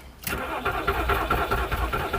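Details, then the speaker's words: VW Polo that won't run, cranked after an ECU swap: the starter churns at a steady, even rhythm for a couple of seconds but the engine never catches; the crankshaft position sensor is suspected. "No. It's down to the crankshaft position sensor, and if it's not that, this car's going bye-bye."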